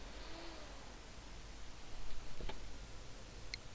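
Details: Gigabyte GA-H81M-DS2 motherboard with 4th-gen i5, stuck in a power on-off cycle with no POST: quiet, then one sharp click as it cuts power, no startup beep.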